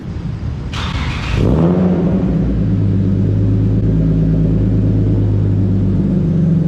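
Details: BMW E36 325is with new custom stainless exhaust and resonator but no muffler, car lowered off jack stands: deep loud rumble swelling with revs into a heavy steady drone; owner finds it too loud and is ordering a muffler tip.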